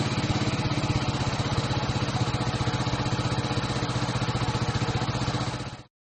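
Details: KTM Duke single-cylinder after fixing a no-start with false LCD errors caused by a low-charge or bad battery: steady, even exhaust pulses about four per second for nearly six seconds, then clean shutdown; normal idle.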